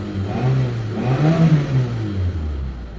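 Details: Mitsubishi Lancer automatic, just restarted after a spark plug, high-tension wire and fuel filter replacement to cure a misfire, before warm-up: revs pick up smoothly and drop back with no stumble or popping. Normal rev.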